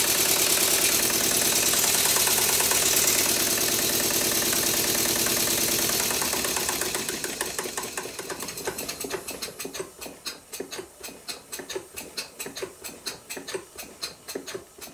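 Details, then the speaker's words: Stuart Twin Victoria miniature steam engine, first run after kit assembly: rushing run with a sharp distinct knock about three times a second, once per turn, caused by the crank web nearest the camera being loose on the crankshaft. "there is a distinct loud knock in one part of the cycle and the reason for this is because the crank web nearest to the camera is loose on the crankshaft"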